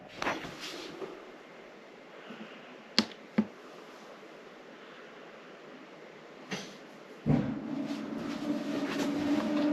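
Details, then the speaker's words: Dometic WH-6GEA gas/electric water heater on a 2022 Grand Design XLS22 MLE travel trailer, after replacing fusible link (model 93866): igniter clicks then whoosh into steady burner roar; lights and holds normally. "and i believe it sounds like it fired right up with the new fusible link installed"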